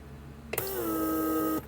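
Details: Bench test of a repaired PSE door-locking vacuum pump from a 1996 Mercedes S320 (W140). About a second of steady hiss with a gently falling tone as the actuator pulls the trunk release handle back in. Working normally.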